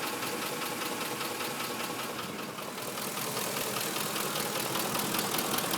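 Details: 2005 Ford F-150 5.4 V8, just under 89k miles, Motorcraft 5W-20 oil, at idle: even crisp tapping about 2.5 times a second rising with engine speed; cam phasers suspected by owner and dealers, unconfirmed.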